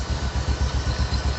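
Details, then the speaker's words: Supra X 125 single-cylinder after repair (damaged cam chain; cylinder block replaced with a new one at the owner's request). Smooth idle of steady thumps about nine a second, with no tapping or clatter; sound clear and smooth, problem likely fixed. "Jika suaranya sudah bagus dan jernih, kita bisa mendengarkannya, teman-teman. Tunggu. Nah, begitulah, teman-teman . Nah, begitulah, teman-teman. Suaranya juga halus."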